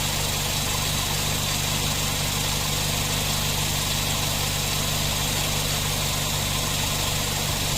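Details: Nissan NV van A/C, previously loose compressor with poor cooling, high pressures and leaks, after fitting a new compressor and clutch: a steady, even hum over the idle with no knocking or grinding. The compressor cycles normally, vent air about 7.3.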